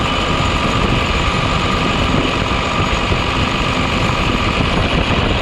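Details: New Holland T7040 tractor after an engine swap, fired up after the final bolts were tightened and needing ether to start. Steady, low diesel rumble with an even beat and no knocks or grinding: normal running.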